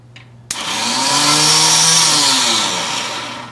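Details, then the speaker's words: Kawasaki Mule 500, with the starter relay jumped; high whirring whine spins up, holds about two seconds, then winds down with no engine turning over: starter motor runs but doesn't seem to engage the engine. Cause not confirmed. "we hear the we hear the starter motor running but it doesn't sound like it's engaging the engine so let's just verify that"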